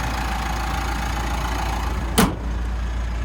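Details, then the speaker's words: 2016 Mitsubishi Pajero Sport GLS with full service history, listened to underneath while idling: steady, even low rumble, one brief thump partway, no rattles, squeals or major knocks; healthy idle. "Running nice and smooth. There's no rattles, squeals or major knocks or anything like"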